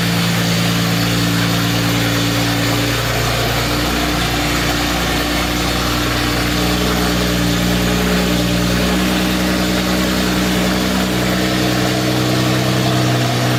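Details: 1952 Jaguar XK120 FHC six-cylinder, first start in 40 years after Lucas C45PVS generator rebuild, starting carburetor in use, good oil pressure: even, steady idle with smooth low hum, no knocks, ticks or misses; running sweetly.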